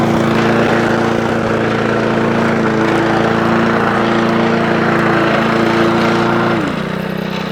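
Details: Honda Lawnflight 553 HRS Pro mower with Honda GCV160 engine, rover clutch and drive tested together after gearbox rebuild (drive had gone): steady engine hum with smooth gear whine dropping away cleanly at end; drive even and healthy.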